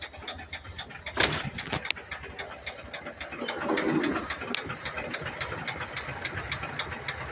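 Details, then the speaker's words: 1982 Ford F-100, 3.8L V6 with carburetor, auxiliary-pump fuel leak just fixed, three-speed column manual, hood propped open at start-up: sharp ticking knocks, three to four a second, over quiet uneven idle; owner says rod knock, cause not confirmed. "it's got a rod knot so you you'll hear it Knocking but I already have the hood already propped open"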